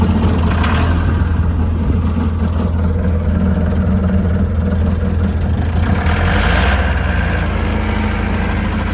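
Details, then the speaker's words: Worn Cummins 6BT 12-valve tow truck warming up after piston and head gasket replacement: loud lumpy idle with uneven miss and heavy chuffing, blow-by; owner calls the motor junk, revving to blow out the cobwebs. "thing's a PO crap I mean the motor's a pile crack I'm just trying to blow out the cobwebs"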